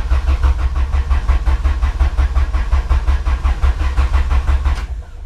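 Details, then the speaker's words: 1998-spec Integra Type R Honda B-series VTEC engine after valve stem seal and lost motion assembly replacement: steady starter churn about three compression beats a second, no firing; crank no start, no spark, distributor unplugged. "why it's not starting guess what I forgot to plug in my dizzy Wow rookie mistake so be sure to plug in your dizzy so you don't end up like me trying to start your car with no spark"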